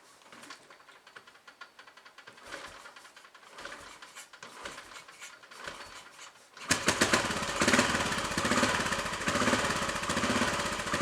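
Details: Royal Enfield Bullet 500 single started on choke after head gasket replacement, exhaust blow at head fixed, baffle removed and carb needle raised: faint ticking, then an even booming thump; more exhaust boom than before, healthy idle.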